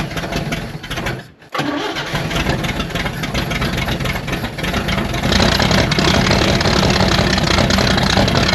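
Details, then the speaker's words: 1960 Chevrolet Bel Air inline six, first run after about 45 years, no radiator fitted: catches after brief stumble into lumpy uneven tractor-like idle; owner suspects timing slightly off. "It's gonna idle. This thing sounds like a darn tractor."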